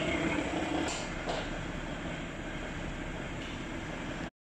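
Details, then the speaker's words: 2015 Audi A6: a steady metallic rattle and clicking over idle, about three or four beats a second, from a damaged flywheel shifted out of place. "First we found the flywheel damage."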